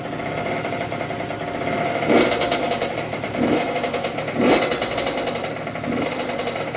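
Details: 2006 Honda CR85 two-stroke after a Wiseco rebuild (new crank, piston, seals, bearings, gaskets), warming up on choke during its first break-in heat cycle: a crisp crackle with throttle blips, no rattle or knock. Idling nicely.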